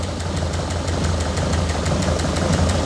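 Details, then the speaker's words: 1967 Lotus Elan +2 idling after four years parked, oil change still due: uneven idle with a faint irregular stumble about twice a second; slight miss, owner thinks it always ran like this and expects an oil change and drive to settle it. "there's a bit of a miss there isn't there i think it always ran a bit like this"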